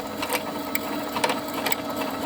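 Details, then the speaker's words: Brother sewing machine winding a bobbin with the foot pedal pressed: fast, even whirr with light rhythmic ticking at steady speed, running until the bobbin is full; normal bobbin winding. "You need to put your foot on the pedal and that will fill your bobbin."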